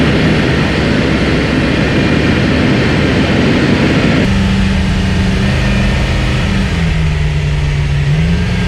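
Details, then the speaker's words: Chevrolet S10 with V8, new DIY budget 3-inch true dual exhaust with TOTALFLOW mufflers, flux-core welded: deep, even V8 rumble settling to steady smooth idle, no ticks or knocks, quieter than before; normal idle and revving. "Well, I don't know about you guys, but I think that sounds pretty darn good for inexpensive exhaust."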